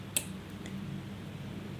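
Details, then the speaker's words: Relay in a DIY single-input push-on/push-off transistor flip-flop circuit, tested on touching the input: one crisp click with a fainter second tick over a quiet hum; relay pulls in cleanly, normal. "और फिर touch किया तो ये ऐसे हो गया relay की आवाज आ रही है आपको टिक टिक रिले की आवाज आ रही है"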